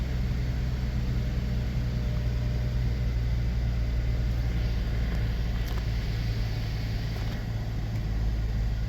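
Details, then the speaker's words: 2013 Cadillac SRX 3.6L V6 at idle just after replacing spark plugs, ignition coils and intake plenum gasket; smooth steady low hum with no misfire, ticking or stumble, everything working fine after the repair. "all right so uh everything looks good all right um so uh everything looks to be working fine"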